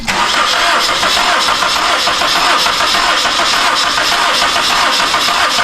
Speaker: all right all right well that cylinder is good look at that 150 psi that's good we cranked it over a few times so that's not our problem cylinder